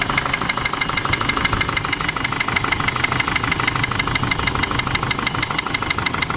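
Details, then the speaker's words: Isuzu D-Max iTEQ 4JJ1 diesel at idle after start-up: sharp even metallic knock about three times a second, loud and constant, not fuel supply; loose piston in cylinder one. "Oke, dengar dia punya bunyi memang knocking lah. Jadi kalau masalah begini kan bukan masalah minyak tidak cukup, maksudnya minyak diesel lah."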